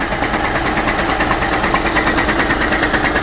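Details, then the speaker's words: 2014 VW Golf TDI idling with a steady knock a little over twice a second, attributed to the transmission. The transmission must come off to find what is banging. Cause suspected, not confirmed. "It's the transmission. It needs to come off to figure out what's banging against what."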